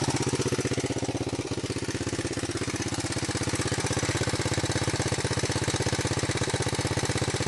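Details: 125 XLS single-cylinder engine: steady, sharp, regular beat at an even pace throughout; engine noise, cause unclear.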